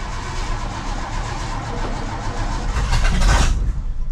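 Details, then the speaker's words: Ford F250 in icy weather after the carb bowl was filled by hand; uneven low chugging and a brief surge, but it won't settle into a run. Hard start; the owner thinks it may be flooded and also found a vacuum leak. "I did might I might have flooded it with fuel come on girl I also found a vacuum leak"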